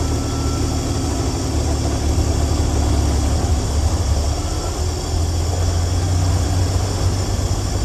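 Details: 1965 Dream van V8 idling with low, steady rumble and even beat, no misses or knocks, after wiring short repair, horn relay replacement and earlier oil pressure line failure; healthy idle.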